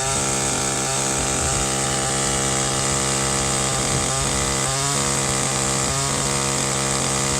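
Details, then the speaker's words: Echo two-stroke line trimmer at high RPM before adjustment runs rough and burbling (four-stroking), occasionally clearing to a smoother, higher note; the high-speed mixture is too rich. "there's like a rough sort of a four strokes down and every now and again it kind of kicks up and raises the RPM a little bit to a little smoother sound that's where we want to be with this thing right now it's running a little bit too rich"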